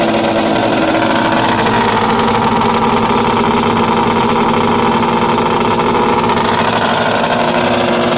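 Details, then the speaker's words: Freshly built Polaris 800 Storm mega-mod two-stroke triple, run outdoors on an early heat cycle. A loud, fast, crackling roar at high revs with rough popping mixed in; a couple of little backfires, and the throttle cable is catching the kill switch. "pretty exciting huh god that was awesome a couple little backfires there"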